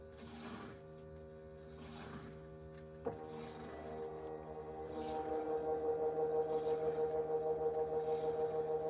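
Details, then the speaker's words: GE top-load washer in drain and spin with lid switch manually held engaged: click as lid locks, then steady humming drain pump with gentle rhythmic pulse as water drains; pump normal, bad lid switch was blocking drain and spin. "Here we go, lid just locked. Now the washer pump is on. It's going to start to drain."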